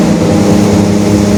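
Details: 2021 Marcopolo Torino S bus on Mercedes-Benz OF-1721 Bluetec 5 diesel chassis, stretched, in urban service, recorded while driving: steady low hum near 200 Hz over the diesel drone, a growling differential.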